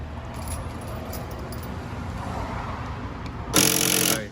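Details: Honda CR-V rear right door lock, door panel removed: harsh half-second buzzing whirr as the faulty lock actuator tries to lock/unlock and fails; replaced with a new actuator, which then works quietly.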